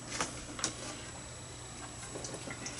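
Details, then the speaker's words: First-generation 3D printer, direct drive, fitted with quiet replacement board and 9 V fans plus a larger slower always-on board fan: low steady fan hum with faint motor ticks and light clicks; running quietly, no harsh stepper noise. "J'ai mis un plus gros moteur qui fonctionne un petit peu plus bas mais il fonctionne tout le temps dès que j'allume mon imprimante puis on les entend plus ces ventilateurs."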